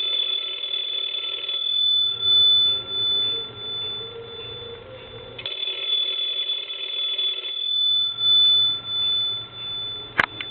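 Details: PTT stone telephone, repaired, on final check before shipping back to customer: strong, clear two-tone ring in regular bursts with quiet gaps, bright and even; the ringer works properly.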